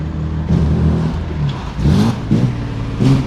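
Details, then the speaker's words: 1995 Ford EF XR6, while driving: engine labours and sputters in uneven bursts and won't rev cleanly. Running so rich it is likely blowing out the spark; temperature gauge not moving, sensor signal suspected. "so rich it's probably just blowing the spark out completely"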